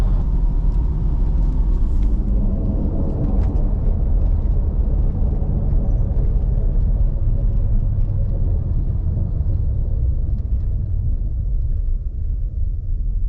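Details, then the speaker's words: Nissan Xterra cruising at 60 after replacing shot differential with junkyard unit: steady low road rumble, no whine or howl rising with speed, much quieter than old unit; normal differential. "So doing 60, no noise. Oh yeah, it's so much quieter, so much better. That other one was definitely shot. This one's good. It was a lot better."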